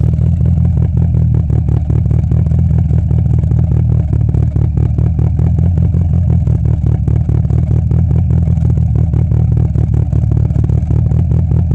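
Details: 2G DSM turbo petrol engine idling with an uneven, stumbling beat from an intermittent phantom misfire.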